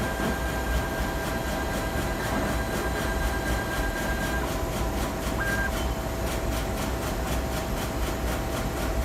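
A crisp, even ticking of about four a second runs steadily over a constant hum, pointing to a ticking fault in the stage drive.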